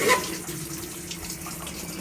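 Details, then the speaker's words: GE or Hotpoint top-load washer in service diagnostic mode, valve test: steady hiss of water rushing into the tub with no buzzing or sputtering; the cold inlet valve opens and fills normally. "You can hear the cold water going in, or the hot water going in. Now we need to check the cold water."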